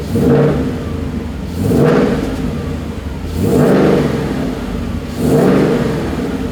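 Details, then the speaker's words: 2012 Mustang GT V8 after a Flowmaster Delta Force cold air intake install; deep idle with three clean throttle blips, revs rising and falling smoothly, intake a bit louder from the open filter; normal start and rev. "Yeah, the open filter, we can definitely hear it a little bit more."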